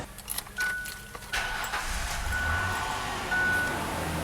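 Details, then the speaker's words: 1999 Ford Explorer, about 78,000 miles, just after power steering pump replacement and refill: engine starts, thin high-pitched whine comes and goes over idle from air in the system. "Yeah, let's start her up. Now it's gonna whine because it's gonna have air in the system. But once we get the air out, we're good to go."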